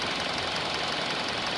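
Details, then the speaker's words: 2019 Hyundai Elantra inline 4-cylinder petrol with 7,000 miles, just after cold start: fast, dry, diesel-like ticking at idle that quiets down as it runs. "Looks like a diesel noise. And we'll hear it quiet down a little bit here."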